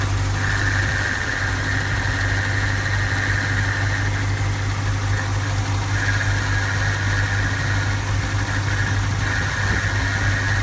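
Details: 2004 BMW 645Ci with N62 V8: steady idle with a thin whistling tone near two kilohertz coming and going over the rumble, an abnormal noise of unclear cause.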